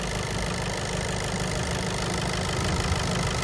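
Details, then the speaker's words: VW Golf with DSG, after timing-belt service, heard at idle just after starting: fast light ticking over the engine hum, loudest at cylinder 4 by stethoscope; diagnosed as a knocking injector, at first resembling belt noise. "bir daha bakın sesi duyuyoruz bu ses enjektör sesi özellikle 4 tarafta çok net bir şekilde geliyor steteskopla dinlediğimizde bu sesi net bir şekilde duyabiliyoruz arkadaşlar"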